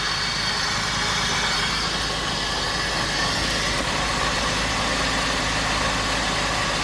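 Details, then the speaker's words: Pontiac Bonneville SSEI first start after transmission swap, transmission 2–3 quarts low, no drips; steady idle with no knocks or misses under a strong hiss of air or fan noise: normal idle. "So let's see if it starts. Woo! And I don't want to let it run for a long time, but I want to check the fluid on the trans."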